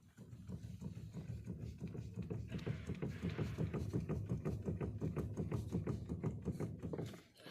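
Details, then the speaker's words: Toyota Camry 40 at 292,000 km, after a steering shaft replacement that did not cure the knock, car raised: rapid dull knocks, about three a second, with each shake of the steering wheel; worn steering rack knocking, per the mechanic. "Начал вот так вот трусить руль слышно стуки какие-то непонятные"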